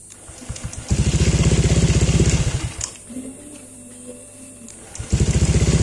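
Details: Honda Vario 125 LED New scooter after replacing the faulty CKP crankshaft sensor that caused intermittent no-start with clicking and MIL on: fires at once into an even putter, switched off, restarts cleanly and idles steadily; normal start and idle.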